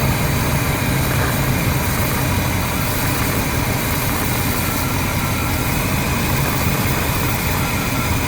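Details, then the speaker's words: Older RV with a 454 gasoline V8 and carburetor, idling, with backfiring and poor acceleration: low, rumbly idle that drops about 150 rpm when brake cleaner is sprayed at one side of the carburetor base, indicating a vacuum leak there. "hear that the idle drop and then when i do it over here idle goes back up again a little bit but i noticed definitely on this side when i spray it it almost drops down about 150 rpm well i'm pretty sure that means that there is a leak"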